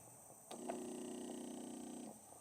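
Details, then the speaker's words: 2018 Mercedes CLA 250 with no boost (P0299) after a turbo replacement. A new non-factory boost control solenoid is actuated with air and smoke flowing, giving a steady buzzing hiss for about 1.5 seconds that stops cleanly; the solenoid switches normally. "it's got a way stronger, deeper pulse. Actually feeling it and hearing it, and smoke comes out of there when we activate it."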